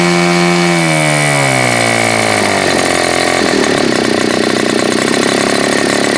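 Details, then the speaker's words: Super Tigre G4500 glow engine, first run: note sags and wavers as the throttle opens, running rough instead of climbing cleanly; idle-to-full transition stumble, owner suspects the Super Tigre mid-range (spray bar) adjustment. "It's got a transition issue, which kind of seems like maybe it's that Super Tigre mid-range adjustment thing that's happening here."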